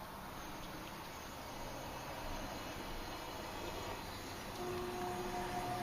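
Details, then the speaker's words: Furnace with an internally failed blower relay on its control board, after a Honeywell fan timer install: steady rushing airflow with a faint low hum, blower on and compressor running, refrigerant heard flowing through the line set; normal operation. "Fans on and the compressor's running. I can hear the Freon going through the line set."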